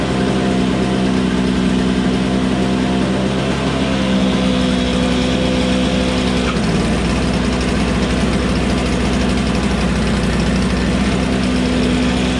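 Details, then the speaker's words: Toro Snow Commander two-stroke snowblower, running after refuelling with 50:1 TruFuel; catches and holds a steady, even buzz with no misses or surging; it just needed gas. "good magneto let's see if it starts to begin with one pull [Music] just needed gas"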